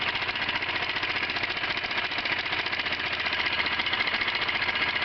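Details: Honda CBR 125 engine: a steady metallic clack, nearly four per second, over a raspy idle. The owner is unsure whether it is the connecting rod or a valve.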